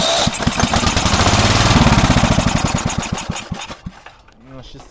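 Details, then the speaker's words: Go-kart lawn mower engine sitting about 5 months; catches and chugs unevenly for about four seconds then fades and dies; won't stay running, cause unknown, compression test planned. "want to stay going if you remember with this motor it's always hard to get started but once it's running once it's good"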